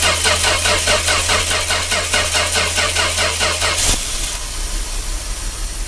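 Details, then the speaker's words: 1966 Dodge A100 van, 225 CI Slant Six, cold start after long sitting: even starter churn about 2.5 beats a second for four seconds, never catches; engine had been cutting out suddenly; no spark at coil. "sport reason I'm suspicious of electrical is just help quick it's cutting out it's not dying off like it's out of fuel it just cuts out and I see we're not getting our spark down here again"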